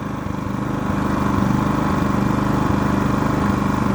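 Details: 3200 W starting / 2900 W running generator idling without load, not in eco mode, output 125 volts, before starting a 15,000 BTU A/C fitted with a Dometic hard start capacitor; steady even drone, firing pulse about 3–4 per second, no knocks or surging, healthy.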